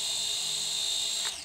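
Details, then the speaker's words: Altair 818 Hornet Plus drone after pairing, sticks pushed down and in to start the propellers in neutral: thin steady high whine from the small motors that holds even, then winds down; normal propeller idle. "if you do it again the propellers are gonna start and go into a neutral position"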